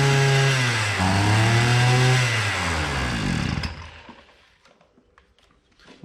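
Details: Hyundai two-stroke brushcutter that bogs at low rpm and spins the head slowly: the note wavers and sags instead of climbing, never reaches full revs, then dies; bogging from a fuel-soaked air filter.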